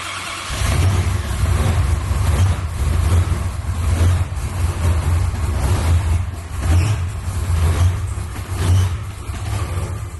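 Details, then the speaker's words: Supercharged V8 Dodge Charger after a new distributor and cold-start tune with the throttle plate cracked open. Cold start: brief crank, then it catches and settles into a deep, steady, lumpy idle. "The way that Ish set it up is that you crank it, it'll crank, fire, and it'll die the first time. You crank it again and fire, and then it stays on."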